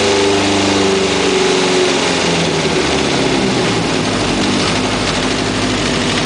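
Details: Kawasaki ZX11 motorcycle at idle with light blips: an odd whirring tone rides over the exhaust and shifts with revs; abnormal engine noise, source unclear.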